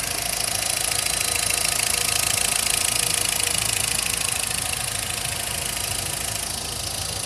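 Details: 2010/2011 VW Voyage Comfortline 1.6, 46,783 km: fast, bright metallic ticking about two per second at idle, began after timing belt and tensioner replacement; owner suspects injectors, not the camshaft.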